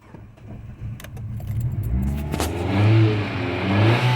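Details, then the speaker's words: 2012 Fiat 500 at 111,164 miles, bought as a flip car, on first start after its battery had been charging: quiet cranking clicks, then it catches and revs up cleanly and steadily; the feared broken timing belt isn't the problem, it starts and runs good. "This thing runs. Hell yeah! It runs. I was swearing like a timing belt was bad or something, like timing belt broke or something like that. But this thing, it runs good."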